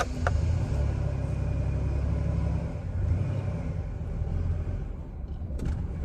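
Deep, uneven idle rumble that surges and dips, with the beat never settling; the engine is idling rough.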